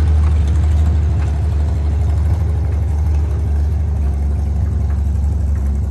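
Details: International 1-ton flatbed (stated 1947 or 1949), revived after about 50-53 years, 12-volt with replacement coil lacking required resistor; deep steady rumble with even firing beat, no knocks or misses; old six running smoothly, normal.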